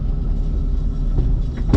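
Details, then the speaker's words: Nissan Z daily driver, lowered, driving over a speed bump: steady road rumble then sharp single clunk; suspension clunk over bumps, exact part not identified. "The car's too low. I raised it too. Jesus. Sounds like your whole suspension's gonna come off the car."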